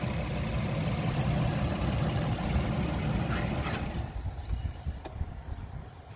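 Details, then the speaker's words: 2003–2009 Toyota Sienna V6, not charging, idling with battery negative removed after cap bridging a broken main fuse is pulled; steady idle about four seconds then engine stalls, broken main fuse cutting alternator charge. "there just shut off so there's a little break right there so for now we'll fix it with a bottle CL for now"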